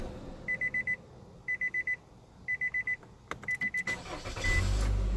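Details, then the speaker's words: 2014 Nissan Altima after replacing a suspected bad crankshaft sensor that caused crank-no-start: chime beeps in groups of five, then quick crank, fires and settles into an even idle; normal start. "como podrán ver bueno no se ve el número el número sense y ahorita aprende muy bien"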